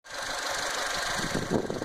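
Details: 2009 Fiat Panda 1.1 four-cylinder idling unevenly with irregular stumbles. The misfire came from a broken wire at the ECU connector, damaged by the loom flexing at the connector exit, and was fixed by soldering in a new length of wire.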